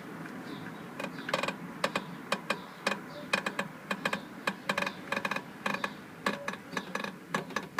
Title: creaking knocking noise from back audi tt mk1